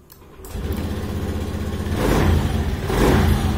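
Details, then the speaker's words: Motorcycle with CKP error code 52, after reconnecting the weak ECU ground feeding the relay: cranks briefly, catches cleanly and settles into an even idle with two throttle blips; starts normally once repaired. "ini normal teman-teman setelah kita sambung"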